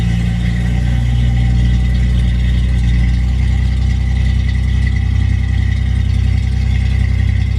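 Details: 1966 Ford Mustang inline-6 at idle with new custom exhaust: downpipes, Flowmaster mufflers ahead of the axle, header locking hardware not yet fully installed. Deep, even rumble with a steady low pulse and no ticks or leaks; healthy exhaust note.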